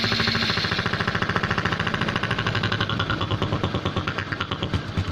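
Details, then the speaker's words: Honda Supra X125 motorcycle idling rough with an uneven, lumpy snoring beat, pulses rising and falling; vacuum is low, traced to a head breather hose cracked right at the clamp position, causing a vacuum leak. "Kris tingkat kevakuman ini kurang tingkat kevakuman ini kurang"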